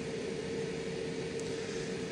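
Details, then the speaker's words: EBL 2400W portable power station in AC mode, powering a camper pod with the refrigerator running (about 92 W load). The inverter cooling fan gives a steady airy rush at a constant mid pitch, with no rattle or wobble. It kicks on periodically. Normal cooling fan running. "so there's cooling fans on the inside here this is what I was alluding to earlier in this video in AC mode I think the inverter in here needs to stay cool and therefore that fan kicks on periodically"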